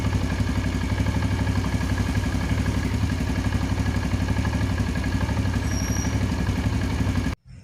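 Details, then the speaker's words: Yamaha Jupiter Z carbureted motorcycle, cold morning, after carburetor repair (bigger main jet, needle jet swapped, ACV diaphragm replaced): starts immediately and holds an even low thumping idle without hunting; normal cold idle. "As said by consumers or motorbike owners, it turns on immediately once it's"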